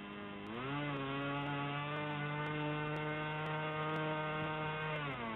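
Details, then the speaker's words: RC model aircraft engine at open throttle during mixture-screw tuning: a high buzzing drone climbs but holds short of peak revs, still running a little rich, so it is leaned out a touch more. "can hear that this one is still a little rich, so we lean it out a touch more."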